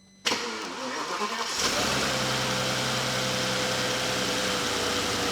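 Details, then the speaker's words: Abandoned VW Phaeton W12 being restored, oil at 11.7 L: quick crank, catches cleanly and settles to a steady, even idle; the earlier squeaky front pulley noise is gone, no belt squeal or chirp; normal start and idle. "Also, there's no longer that pulley noise at the front. That was a very squeaky, if you remember."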